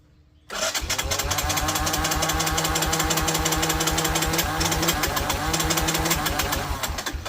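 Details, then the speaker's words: 1984 Honda Big Red four-wheeler, battery fitted: steady chugging crank at about three and a half beats a second, never catches; no spark, CDI suspected. "That's all she does. No sparky spark. No nothing."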